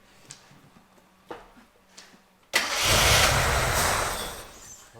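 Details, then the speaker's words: Barn-find one-owner Gilbern Invader Mk3 restart; a few quiet clicks, then it catches instantly and settles into a strong, even run without misses or knocks, with good oil pressure on the gauges. "that that is a good engine back there you can tell that is really low mass just with the sound"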